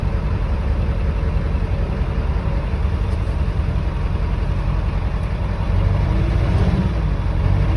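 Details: 7.3 Power Stroke diesel truck just after cold start, unstarted about 2 weeks, glow plugs cycled: heavy, slightly uneven clatter settling into steady low rumble; normal idle.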